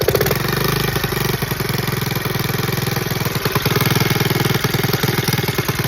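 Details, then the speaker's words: 1979 Honda Z50 custom single-cylinder at fast idle: uneven popping about three beats a second with a slight stumble after earlier bogging and stalling; rough idle, owner suspects timing or a loose valve. "I guess she's not blown. She does sound a little rough."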